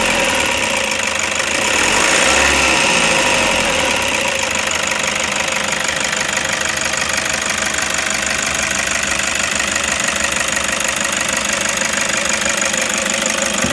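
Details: 2007 Toyota Hiace 2KD 2.5 turbo diesel at idle, clutch pedal up: steady metallic rattle about three a second, silent with pedal pressed and when fork held tight; owner suspects clutch release fork vibrating, plans grease or tension.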